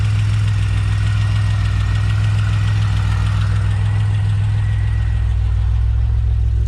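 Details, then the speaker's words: Pontiac Bonneville SSEi, freshly swapped supercharged L67 with ZZP VS cam, intercooler and ported M90, first start: steady low idle with light fast tapping about three a second; suspected balancer or lifters short of oil, unconfirmed; oil pressure reads 60-80. "i wonder where that tapping noise is it could be the uh bouncer it might be the lifters they might need to be getting oil or something"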